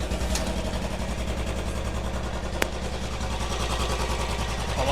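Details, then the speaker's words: Royal Enfield single-cylinder at idle after top-end repair for tapping noise: even, steady thump with no tapping; the earlier clatter is gone, quiet and healthy. "लीजिए कैसी है silent हुई नहीं ई बिल्कुल ही आवाज गायब हो गई सारी कितनी कटकट की आ रही थी कोई आवाज नहीं आ रही"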